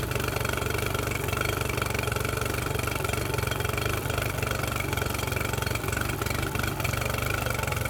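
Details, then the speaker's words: Mercury 9.9 outboard bought off eBay, test-run after an 8-9 week repair with parts from abroad. Steady, even idle at about four pulses a second with no knocks or misses; it sounds beautiful and healthy. "what does that sound like absolutely beautiful"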